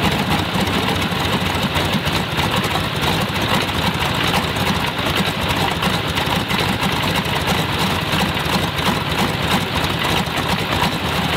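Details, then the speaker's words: Stinson L-1 radial aircraft engine, after distributor/magneto timing rework following a year of not starting or running smoothly: steady even rumble with constant beat and no misses; runs great on the right magneto, normal idle. "runs great on the right Meg"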